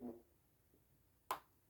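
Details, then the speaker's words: Clarinet upper joint reassembly after new tenon cork: turning a key screw backwards gives one crisp tiny click as it drops into its thread, meaning it is seated properly. "whenever you screw these in you always go backwards until you hear it click there hear"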